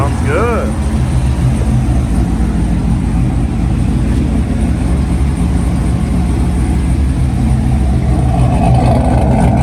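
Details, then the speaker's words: Chevrolet Corvette C7 with LS7-type cam kit, rebuilt with a new cam and lifters after cheap eBay lifters failed: lopey, choppy big-cam idle with a throttle blip, good oil pressure, idling on its own, no lifter tick. "Sounds good. Get that oil pressure, baby. Idling on its own."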